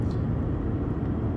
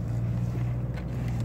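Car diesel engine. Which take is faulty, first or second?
second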